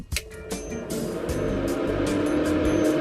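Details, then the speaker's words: Datsun 1200 with an aftermarket electric heater box wired straight to the battery terminal: switch clicks, then a steady hum builds and holds as the blower fan spins up smoothly with no rubbing. Fan works and its indicator light comes on. "it works we can hear it see the little light appear on there too that's awesome"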